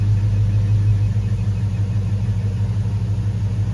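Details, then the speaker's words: Jeep Grand Wagoneer with a Hemi V8 swap, after a repair: deep, steady idle rumble with no ticking or stumbling, good oil pressure and O2 readings. Earlier rough running thought to be exhaust leaks was actually misfires, now fixed. "No injectors are shutting off. That's a good idle. You know, I thought we was having exhaust leaks. It's not exhaust leaks."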